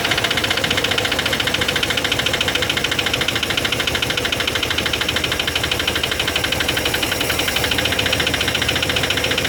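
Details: Chevy 350 5.7L after intake manifold gasket replacement: rapid even sharp metallic valvetrain ticking throughout idle, caused by low lubrication.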